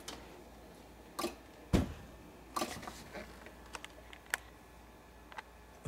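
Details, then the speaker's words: 13-year-old GE side-by-side refrigerator, model GSH25KGRW, plugged in: sharp, irregular relay clicks, about five in six seconds; bulging capacitors on the main control board, fixed by replacing them. "And uh eventually it just started clicking like this and the refrigerator got warm."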